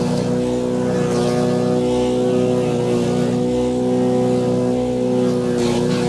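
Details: Wood chipper chipping branches after a broken ear was welded back on; engine holds a steady, even drone with no surging, hunting or knocking. Normal running under load.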